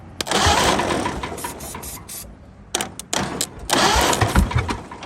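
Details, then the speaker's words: 1929 Ford Model A abandoned 75–80 years, started on ether with oil and PB Blaster in cylinders: brief ragged bursts that catch and die; owner suspects a stuck exhaust valve or timing far out. "one of them one of them's got a stuck exhaust valve I'd say or we're just way out of timing here"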